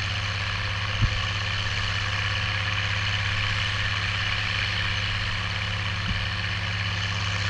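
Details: Oliver 1550 tractor, about 54 hp, disking with a JD BW disk 6–8 inches deep after fuel-system contamination cleared: steady deep diesel drone pulling hard with an even, unbroken beat and no misses or knocks; healthy under load.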